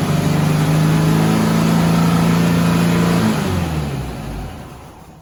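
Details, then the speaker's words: 1972 VW Westfalia with CB Performance Solex carbs at first drive in 14 years: steady fast drone far above idle, then winding down, as an internal choke-linked mechanism hangs the throttle open. "okay so as you can hear we've got a lot of problems with revving so these are cb performance uh solex carbs and what's going on is that there's an internal mechanism connected to the choke and um what happens is it kind of hangs the throttle up internally"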